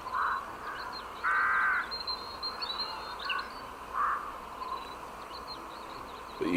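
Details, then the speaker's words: HP computer speakers emit crow-like caws and chirps in irregular bursts over quiet background, stopping when muted; owner suspects a virus despite virus protection, cause unknown. "this is my hp computer and believe it or not it makes some weird bird sounds i don't know why"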